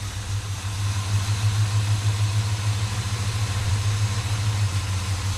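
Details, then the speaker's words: 1957 Chevy Bel Air running for the first time in 30 years, after a loose fuel line was fixed and transmission oil added: steady, even low V8 burble at idle with no misses, knocks or ticks; runs good. "[Music] Horwich [Music] right on runs good"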